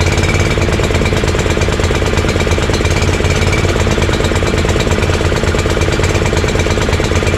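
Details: Honda GX340 single-cylinder in EZGO Workhorse golf cart repower, after verifying key start and kill switch shutoff: steady, even chugging idle with no misses or knocks. Normal idle.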